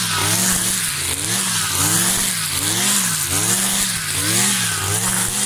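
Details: New Kawasaki TJ53E two-stroke brush cutter cutting tall grass: a strong high buzz dips and recovers as the head bites. It pulls cleanly and holds revs under load.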